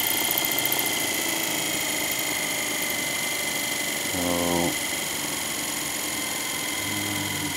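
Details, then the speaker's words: Electric wheelchair brushed motor on 24 volts after commutator and brush cleaning: steady high whine with rough uneven buzz and short lower growl; owner suspects brushes not seating properly after running a while. "oh now that sounds funy that doesn't sound good at"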